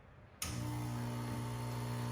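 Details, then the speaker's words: BZ13 espresso machine with a vibration pump and solenoid brew valve, backflushing with the brew button pressed: the pump rattles loudly while ramping up to about 9 bar, then quiets to a low hum; normal pressure build-up. "So when we first press the button, you'll hear the pump start to rattle as it ramps up pressure, and then it starts to get very quiet and go to a low hum."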